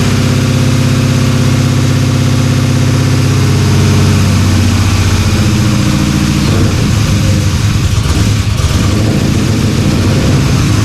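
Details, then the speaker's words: LS-swapped Dodge Dakota V8 after sitting a year, just after switching to internal one-bar MAP: lumpy, stumbling idle as if firing on one bank; owner suspects injectors not injecting properly; some headers stay cold while others get very hot. "it runs not well but it runs I don't think those injectors are injecting as as they should"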